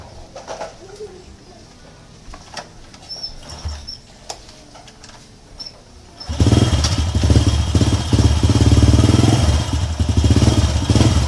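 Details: Honda EX5 Dream single-cylinder motorcycle after reassembly and fresh engine oil, rough loud noise traced to a loose screw: starts and holds a steady even idle with no rough clatter; normal idle after repair.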